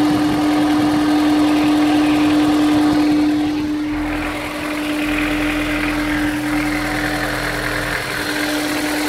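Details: Honda S2000 at cold start idle: constant hum with a light regular tap about four times a second; owner suspects rod knock, not confirmed.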